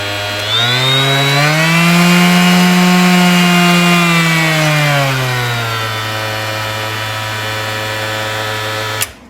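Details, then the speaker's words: DeWalt 20V palm sander, speed dial turned from 1 up to 6: smooth, even motor whine climbing in pitch with each setting, no rattle or grind; healthy sander. "So you can hear the speed increase as you increase the dial from 1 up to 6."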